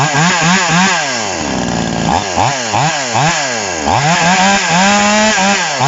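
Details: TOMITSU 5800-body two-stroke chainsaw, sprocket-gear clutch type, just after initial carburetor adjustment with a screwdriver: crisp buzz climbing and dropping cleanly with each throttle blip; runs and revs healthily.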